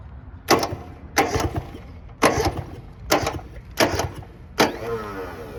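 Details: Six short cranking bursts on a 1970 Subaru Sambar pickup, off the road 40 years and hot-wired to crank because the ignition gets no power: the crusty starter catches briefly then drops out, an intermittent starter engagement.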